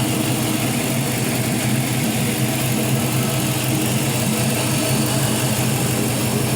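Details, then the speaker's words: 5.3L Gen 3 LM7 LS engine, 140k miles, with new LS7 lifters, on a test stand at about 192 degrees: steady, even warm idle with a smooth low rumble and no top-end ticking; lifters quiet and healthy. "so those lifters brand new ls7 lifters are nice and quiet"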